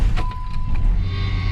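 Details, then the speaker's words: 1995 Jeep Grand Cherokee that sat six months, first start after replacing the tested-bad battery: brief crank, then it catches at once and settles into a steady run; normal start. "there we go start it up just like that"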